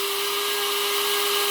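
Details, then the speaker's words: Electric grinder powdering turmeric (khamin chan) after a few shakes. The steady high whine gets stronger with no rattling of chunks, which shows the turmeric is fully powdered and the grinder can be stopped. "ทีนี้ก็ปั่นจนกว่ามันมันจนกว่ามันเสียงมันจะวิ้วๆๆๆๆๆๆๆนนะครับเห็นมยอ่าอ่าและๆเริ่มแรงลเริ่มแรงขึ้นะถ้ามันไม่มีเสียงก๊อกแก๊กก๊แกกกแๆนี่แสดงว่ามันเป็นผงละครับ"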